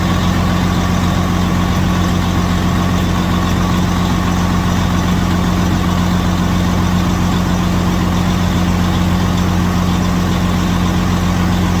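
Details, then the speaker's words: Detroit Series 60 14L semi truck on first start after a DIY in-frame rebuild, with white smoke (owner suspects injectors): loud, steady heavy-diesel idle with an even low drone, no knocking or stumbling; normal idle. "all right so we did finish the rebuild had some Kinks to work out um I'm very happy it's running"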